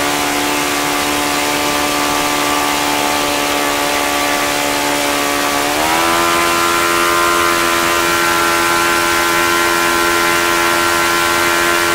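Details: OS FS-95V four-stroke glow engine after rebuild, hand-started warm, 15% Omega fuel, 14x6 prop, OS F plug: high steady buzz climbing smoothly and holding even; nice running, very easy to start.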